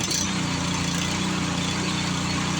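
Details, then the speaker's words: Power Smart 26-inch snowblower that would not start from bad fuel, after fuel system cleaning: small single-cylinder engine running with an even, steady chug, no misses or surging; runs correctly. "But one good thing is, it does run correctly,"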